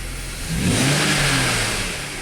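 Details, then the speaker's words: BMW X5 with a mystery misfire, in cold weather (about 20°F), after injector checks and clearing codes: clean, quick rev that rises and falls evenly with no stumble or popping; engine now runs pretty well. "I finally now it's actually running pretty good"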